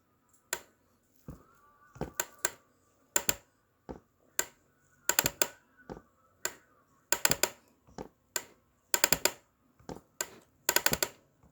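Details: MIUZ ergonomic mesh office chair being moved in a quiet room: sharp, dry, irregular clicks and pops, often in quick clusters. The source is unknown.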